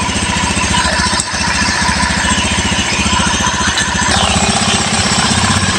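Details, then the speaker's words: Honda Beat FI eSP scooter engine rebuilt from scratch, running after reassembly: steady single-cylinder idle that doesn't hunt, with no clatter or roughness; before the rebuild it wobbled, clattered and was hard to kick-start. Normal idle. "Dan ini motor halus ya. Sekarang mah tidak ada bunyi kepeletek ataupun kasar suaranya."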